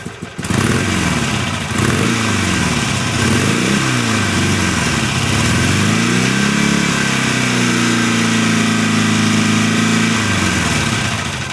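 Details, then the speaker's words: 2006 Harley-Davidson Sportster converted from 883 to 1200, with upgraded intake and exhaust. Lumpy V-twin idle that stays fairly tame, then throttle blips lift the pitch and it sweeps back down cleanly. Normal, healthy revving. "as you can hear the idle's pretty tame barely raised my voice and once you give it a little gas it still doesn't sound extremely"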